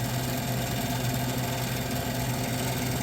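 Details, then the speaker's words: 1978 Gibson Air Sweep 5900 BTU window air conditioner with reciprocating compressor, blowing cold: steady low hum with a faint rhythmic buzz over the fan rush; owner suspects the condenser fan blades need balancing. "so I can get this issue fixed yeah the condenser fan blades may need to be balanced"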